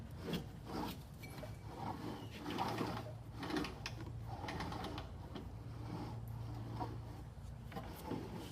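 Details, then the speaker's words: Honda HRR216 lawn mower after replacing rear wheel, drive pinion and sprocket (pinions had no lubrication, weak propulsion); rear wheel turned by hand gives light quick clicks, drive ratchet now engaging properly, clicking absent before repair. "And here, you hear that clicking? We didn't have that click before."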